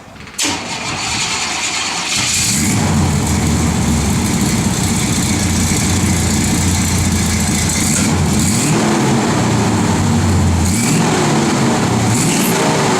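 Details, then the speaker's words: Customer's 1985 Chevy C10 truck after brake rebuild: brief crank, catches, settles into steady even idle with no knocks or misses; normal idle. "it seems to idle okay I'll give you a quick startup so y'all can hear it"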